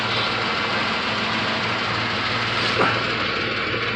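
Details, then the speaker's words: 1994 Plymouth Grand Voyager, heavily rusted, after replacing the exhaust manifold gasket: smooth, even idle with soft steady hum, no ticking or puffing at the manifold, quiet where the leak was heard before; no exhaust smell, exhaust sounds sealed. "this is nice and quiet now whereas before i could hear it and again i don't want to touch it but i don't smell anything"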